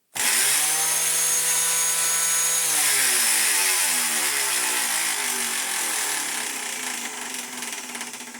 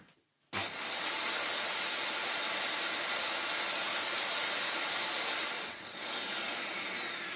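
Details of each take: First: Dyson DC14 Telescope Reach vacuum fitted with a cheap aftermarket non-clutched brush roll: shrill motor whine with a rough, buzzy rattle that settles as it runs down; brush roll clatter, suspected cracked at the end. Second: Dyson DC14 with used, ungreased non-clutched brush roll replacing a noisy new aftermarket one: steady high-pitched motor whine, even, no knocking or rattle from the brush roll; running normally.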